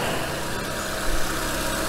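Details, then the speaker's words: Renault K4M 1.6 16V, after replacing knocking hydraulic lifters with proper ones: instant effect, smooth even idle, no ticking or tapping from the top end, no bleeding or revving needed; quiet, healthy valve train. "просто эффект моментальный и шикарный тишина и мотор просто ровненько я работаю"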